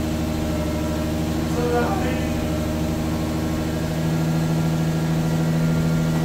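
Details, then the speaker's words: Lexus SC300 first start after new exhaust and large mid-pipe with flex pipe installed, not run for a long time: engine catches and settles into a steady, even idle drone with deep exhaust note; engine running normally after start. "I think it's time to see if this thing actually starts or not let's see if it does it's been a long time"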